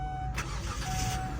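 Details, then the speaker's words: 2005 Kia Sedona minivan with 50,000 miles, started at auction after being driven: quick crank catches into a steady low rumble with a faint chime over it; fires right up with no issues, normal start. "Fires right up, no issues whatsoever. And like I said, I just drove it around, it drives great."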